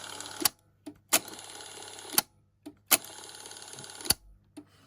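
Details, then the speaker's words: Technics RS676A cassette deck: separate rewind/fast-forward motor makes short whirring bursts that stop abruptly about every second, cutting off because it can't turn; worn idler. "Obviously, it's not turning, so it will it will cut off. It just cuts off when it comes to when it can't turn."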